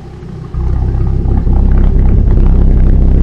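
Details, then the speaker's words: 2006 Dodge Viper SRT-10 coupe V10, first start after tune-up (oil, fluids, plugs, belt, thermostat, coolant, cleaned throttle body), coolant cap off to bleed air: catches quickly, settles to deep steady idle without knocks or misfires, healthy. "all right so there you have it first start since we did our tune up and everything seems to run awesome"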